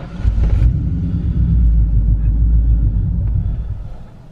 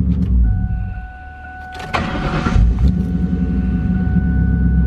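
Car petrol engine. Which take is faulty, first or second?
first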